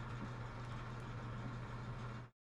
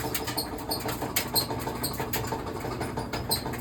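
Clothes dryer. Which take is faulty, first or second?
second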